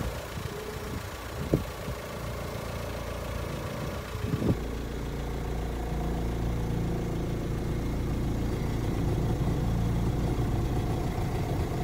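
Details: 2005 VW Transporter T5 1.9 TDI at idle: low steady hum and moan over the diesel note from a failed power steering pump; fix is a new pump with original green hydraulic fluid. Failing power steering pump.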